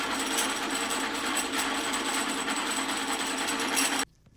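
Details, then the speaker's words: 3000GT/Stealth 5-speed AWD transmission, back plate off, spun on a drill press in neutral: fast, tinny metallic synchro chatter from the 3/4 slider bouncing the synchros, then it stops dead when the slider is nudged slightly off center. "So the slider is actually causing the synchros to sit there and bounce off the teeth of one another. It's probably what's wearing down 3/4 so fast."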